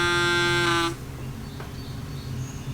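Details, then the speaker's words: Chevrolet camper conversion being retrofitted with electronic fuel injection instead of a carburetor, about 20 liters of gasoline in the tank: the in-tank electric fuel pump gives a bright steady buzz for under a second, then drops to a low hum, flushing fuel before the throttle-body hose is connected. Normal priming. "Vamos a hacer eso. Deberíamos oír la bomba de gasolina del tanque empezar a empujar la gasolina hacia acá. ¿Se escucha?"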